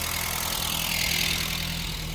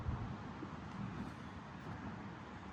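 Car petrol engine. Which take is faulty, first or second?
second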